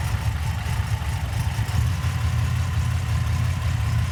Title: Light #4 misfire